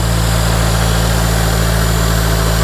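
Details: Turbo salvage car, cammed, check engine light on, turbo heard spooling through the exhaust: a steady, even idle held way too high with no dip. Suspected boost leak from a charge pipe or damaged intercooler, unconfirmed.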